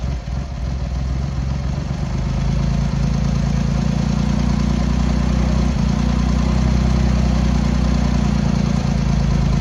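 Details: Triumph X75 Hurricane with rebuilt carb rack just refitted, cold on half choke at throttle-stop idle: low, lumpy idle with irregular beat, like one cylinder firing only now and then; pilot screws thought set 7/8 out, carbs suspected to need tuning.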